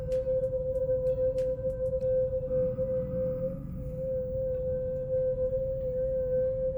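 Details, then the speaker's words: Brand-new VW Polo TSI, the sound coming when the car pulls itself with no throttle: a loud, steady, piercing squeal holds one pitch over the road rumble; brake squeal. "So yeah, the sound comes when the car pulls itself."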